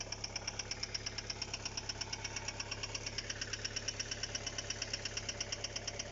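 Steady, sharp ticking knock about twice a second over a smooth idle, very regular; there's a knock inside the engine, cause not yet pinned down.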